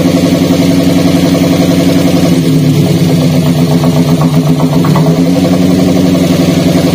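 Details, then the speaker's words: Daihatsu Gran Max idling with a stutter and low power: pulling the coil socket on cylinder 3 worsens the vibration and exhaust limp, while one coil plug causes no change. Uneven, stumbling idle that worsens midway, a misfire from a dead ignition coil. "Hah terlihat anda ketika kita cabut untuk tokek oil nomor atau mesinnya sendiri tidak ada reaksi namun ketika kami tadi Cabut ya untuk posisi soket koil nomor tiga untuk pasiennya itu jadi tambah parah untuk getarannya kemudian suara di kenalpotnya juga Terdengar sangat jelas ya tambah pincang"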